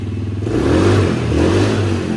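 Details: Polaris four-wheeler after repairing a hole in the motor, new main jet fitted, test run before fully warm with idle slightly high: crisp, even revving, no misses or knocks. It previously died when the throttle was mashed; now normal running.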